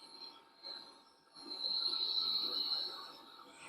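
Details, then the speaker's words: Furnace blower motor just powered up with the door off, before replacement with a universal motor: high, steady squeal well above the motor hum, swelling as the blower reaches speed; dry, worn blower motor bearings. "We can oil up these bearings, maybe. Oh boy, that sounds terrible."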